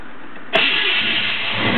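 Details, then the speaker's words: 1972 Chevrolet Chevelle SS 402 V8, top end rebuilt six months ago (heads, valves), dual exhaust: brief crank, catches at once and settles into steady even idle; normal healthy start. "right up great tone from the dual exhaust chevelle sounds how you expect your muscle car to sound much you're running"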